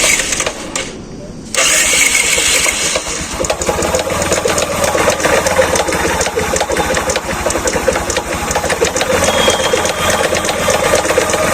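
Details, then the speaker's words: Bajaj Platina motorcycle started and idling with a loud, rapid metallic clatter from inside the engine; another mechanic said the crankshaft bearing is broken, and the tank and cylinder head cover are removed next to check the camshaft. "चाबी switch को on करेंगे और यहां पर आपको सबसे पहले इसकी आवाज सुना देते हैं कि गाड़ी में किस तरीके से खड़खड़ हट की साउंड आ रही है"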